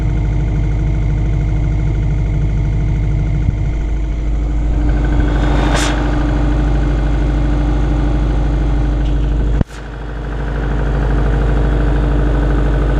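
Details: 2002 US Subaru Impreza WRX, cold engine at idle: low uneven tapping keeping pace with the engine, suspected piston slap before warm-up, not confirmed.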